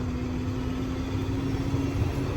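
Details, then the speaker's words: 2007 International 4300 box truck on the move: steady low drone with a thin constant whistle, turbo whistling more than usual; owner suspects turbo aspirator, otherwise turbo may need cleaning or replacing. "I don't know, I still hear that turbo whistling a little more than where it's supposed to whistle."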